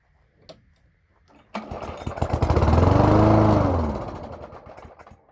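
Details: Toro lawn mower with a 3.5 hp Briggs & Stratton engine, cold December morning: it catches after a few pulls, revs briefly, then dies within three seconds. Owner suspects it isn't picking up fuel and the carburetor needs a rebuild.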